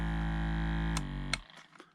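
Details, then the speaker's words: Foot warmer and massager, working side's vibration motor running: a steady low even hum for about a second, then cut off with a click; normal massage motor, while the other side's motor does not work. "so it's got a vibration um like a motor on it and on this side the same but this side it doesn't work"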